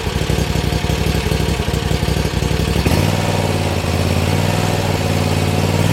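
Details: Bad Boy Maverick zero-turn with repaired Kawasaki engine, started in neutral with wheels jacked off the ground for drive tuning: steady even engine drone, smooth low hum settling lower partway through; running cleanly, no knocks or misses.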